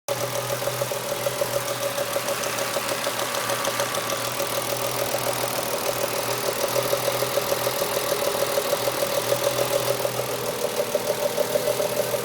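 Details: BMW S50B30 inline six, cold engine: steady light ticking about three beats a second over an even run; source unclear; engine noise when cold.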